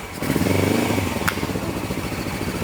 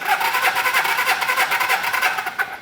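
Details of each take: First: 1980 Suzuki GS450 barn find, long unused, on first electric start: it catches and revs with uneven popping and one sharp crack. This is a backfire from running without its airbox and air cleaners. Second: 1980 Suzuki GS450 barn find cranking on the electric starter during a compression test, with quick, even pulses and no weak strokes. Compression reads just over 150 (one about 125), which points to healthy compression.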